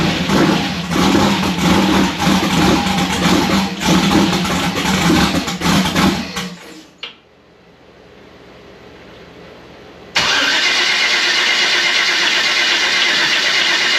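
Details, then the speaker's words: Freshly rebuilt Gen 4 aluminum V8 swap (58x conversion), first start attempt on low battery: starter spins steadily several seconds, no cylinder catches, then stops; no rpm on dash, 60 psi oil pressure; no-start from swapped crank signal wires. "i don't know something is very much not happy um i gotta see i got to plug the battery charger in it's cranking low low battery"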